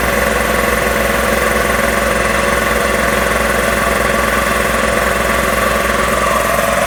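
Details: Magna Force air compressor after repairs, building pressure toward 160 psi cut-off: even pumping thump about three beats a second under constant motor drone; runs smoothly, though a leak is then found at a pipe.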